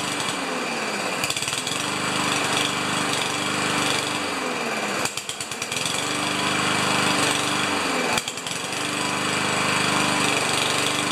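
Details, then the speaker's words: Powermore (Yard Machines) lawnmower that starts and stalls, kept alive on priming fuel drawn from a can into the carburetor intake: uneven buzz that sags twice; clogged carburetor main jet starving it. "so it was actually drinking I wasn't pumping it much but in between like I left it for about 30 seconds was actually drinking right out of the can and into the carburetor just from the intake pressure so that's a good sign"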